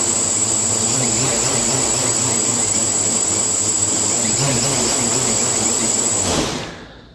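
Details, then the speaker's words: Quadcopter on a PID tuning stand, INAV: high motor whine wavering in a quick pulsing rhythm, about two beats a second; the oscillation comes from pitch P gain deliberately set too high at 25. "that the pee on the pitch is set way too high that's you know exaggerated up at twenty-five percent"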